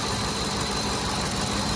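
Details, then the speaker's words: 2010 Ford F-150 SuperCrew 5.4L Triton 3-valve V8 after replacing VCT solenoids, idling after a choke start and high-RPM run: steady, smooth low hum, no knocking or hunting, no vibrations; normal healthy idle. "Started on choke, ran high RPMs, leveled down to idle. Smooth. No vibrations."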